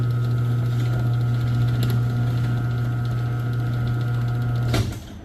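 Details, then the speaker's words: Chamberlain LiftMaster 1/3 hp garage door opener after jammed-carriage repair, chain adjustment and cleaning: smooth steady motor hum with an even chain run and a soft stop, no grinding, operating normally. "so how does the sound you ask [Music] and right there is a beautiful sound in garage"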